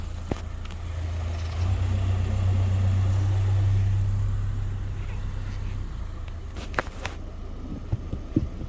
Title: I cant figure out where this clicking noise is coming from in my suspension. Help!?!?